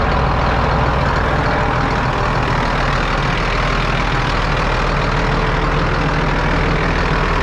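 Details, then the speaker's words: John Deere 8300 tractor, rebuilt after a rollover, on a test run: deep, steady diesel drone pulling evenly under load with no knocks or surges; temperatures stayed good, healthy running. "We're back from our test run. Tractor did a good job. All the temperatures stayed good."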